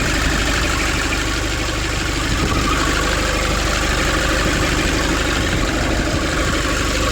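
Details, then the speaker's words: 2005 Nissan Urvan diesel after the pump repair and pipe leak fix, warming up with idle raised: steady, even clatter with no misses, knocks or hunting. Normal idle. "Everything is fine. I make a heat, that's why the accelerator is coming more from here."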